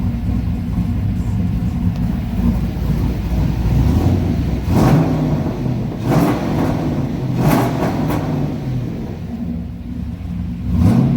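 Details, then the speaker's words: Dodge Ram truck with a 6.0 LS V8 swap and new shorty headers snaps cleanly through quick free revs, with sharp pops and crackles on lift-off; throttle response is quicker after a timing change, and it sounds healthy. "snap crackle pop [ __ ] throttle responses way better than what it was two it's a little bit more quicker"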